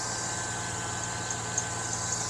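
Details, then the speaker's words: 2000–2006 Chevy Tahoe V8 (4.8/5.3/6.0L) at idle with thin constant high-pitched belt squeak; owner blames old tensioner pulley after wrong replacement pulley, but squeal persisted after new tensioner, cause elsewhere. "And like I said, I tried to replace it once, but gave me the wrong pulley. So I just put the old one back on. I think that's why it's squeaking like that."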